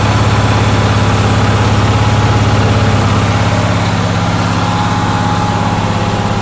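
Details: Onan generator on a cold day, with a steady, even drone and a fast regular beat held well above a relaxed idle, never settling; idle speed is too high and the cause is not yet found.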